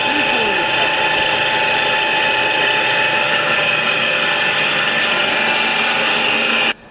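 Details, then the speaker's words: Truck flywheel on a rotary-table grinder, taking about 0.05 mm per pass: steady high hiss and whir of the stone at even pitch, then cutoff; a normal resurfacing pass. "дивіться шліфовка маховика задоволення не з дешевих але но робити шліфовку потрібно так як при ремонті кидають навіть із зчеплення маховик буває поведений"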